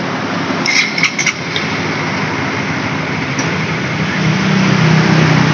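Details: Honda CB150R with power loss at sustained throttle, after refitting and adjusting a sensor, engine picks up cleanly and climbs to a steady rising note; normal revving after the fix.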